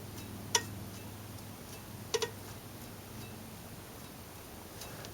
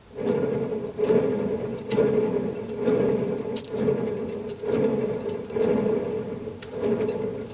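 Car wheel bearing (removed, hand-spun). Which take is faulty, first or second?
second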